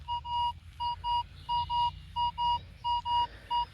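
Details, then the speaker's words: Crisp paired detector beeps at one steady mid pitch, identical each sweep, numbers relatively stable and still clean turned 90°, at an old park (since 1832); shallow target, confident coin (maybe 2-cent piece or penny): clean stable target signal. "when I'm talking about a beautiful signal this is what I'm talking about is how clear that"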